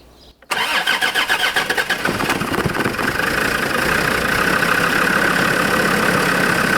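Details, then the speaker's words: Land Rover Discovery 2 Td5 diesel, first start after sitting three years: brief cranking pulses, catches quickly and settles into a steady, even idle; healthy start. "so I'm going to crank it over you watch let me know if anything catches fire"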